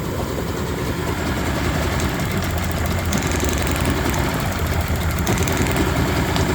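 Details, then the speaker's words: Cold, choked 3-cylinder Yamaha 30hp two-stroke outboard running rough, all compressions 110, plug-lead drop test: idling unevenly, revs sag when the plug lead comes off and recover once reconnected, so that cylinder fires fine. "so you can hear that drop down I can hear it sparking as soon as I plug it on it's going to rev back up a little bit"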